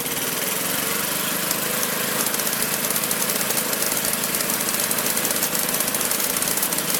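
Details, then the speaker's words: Magna air compressor with a Briggs & Stratton engine from at least 1983, sat 5 years, first start on the carburetor alone without carb cleaner: steady, even run with a crisp fast exhaust beat, no misses or knocks, reaching 100 psi; normal running. "well guys it runs awesome gets up to 100 psi i might pop that up just a little bit higher closer to 120"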